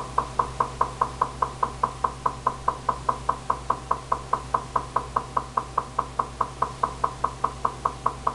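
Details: Recently purchased GE refrigerator: sharp hollow knocks about two or three a second over a faint hum from the upper-back left side of the freezer, up to 2 minutes 2-4 times daily; technician calls it normal, owner disputes it.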